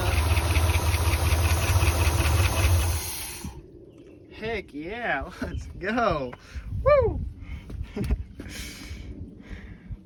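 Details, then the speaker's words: 1976 Ford F-250 highboy V8, first run in 15 years after fixing coil wiring and a dead cylinder; steady, even idle for a few seconds with no miss or stumble before shutoff; now firing on all eight cylinders. "hear that that sounds about right now I think we got all eight"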